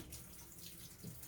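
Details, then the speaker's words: GE washer model GTW330ASK4WW on drain and spin, load size dialed down, cool setting: soft hiss of water running into the tub where only draining should happen; unexpectedly fills during drain and spin. "adds water to drain and spin"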